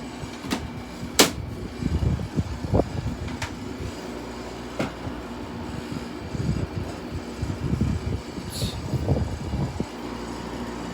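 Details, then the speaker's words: Gold Star air conditioner running on low after start-up: steady fan and compressor hum with irregular knocks and metallic rattles over it, caused by the vibrating fan cage, not the compressor; owner may remove the cage. "It's the cage. It's the cage that's vibrating. I might have to take it off, probably. That's why it's making that noise."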